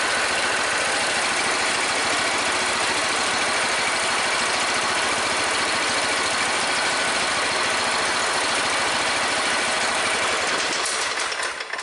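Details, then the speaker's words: MTD riding mower that died mid-mow and wouldn't restart, after valve train repair and valve adjustment: steady, even small-engine run with no valve-train knocking or ticking, tailing off near the end; running normally. "Alrighty guys, we got the MTD riding lawnmower going one more time for a good friend of mine that lives down the road."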